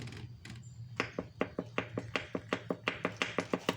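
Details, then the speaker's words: 2000 Kawasaki Ninja 250 original engine, torn down, piston holed: quick sharp metallic clicks about six a second as bare crank is rocked by hand; excessive crankshaft play on that cylinder, engine replaced. "but a ton of play in the crank on that cylinder"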